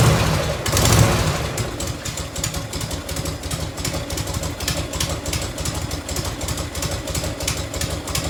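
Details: 1990 Harley-Davidson FLHTC Evo V-twin at cold, choked idle on fuel reserve with the shield off: sharp, quick ticking about four per second over the lope from an exhaust leak at the crooked header clamp, to be loosened, retightened, possibly shimmed.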